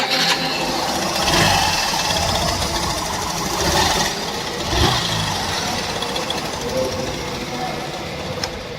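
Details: Hero BS6 Super Splendor 125cc single at idle: light, fast metallic ticking rides over the idle and stays constant, cam chain rattle from slack chain gap; fix was adding two packings at the tensioner lock.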